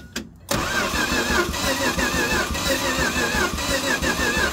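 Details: 1965 Dodge A100 Camp Wagon, sitting since the 1990s, cold, first key start after filters changed and cylinders oiled: starter churns steadily with quick uneven chug about three per second, never catches; bad throttle linkage, carb later leaked fuel.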